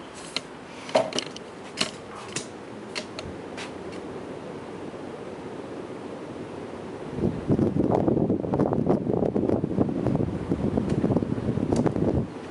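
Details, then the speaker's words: 1990 FASCO Charleston 5-blade ceiling fan, cleaned of kitchen grease and grime, on high speed: a few handling clicks, then steady soft rush of air, no ticking, wobble or hum; normal high-speed operation, good running fan. "But it's a good running fan. Moves a lot of air."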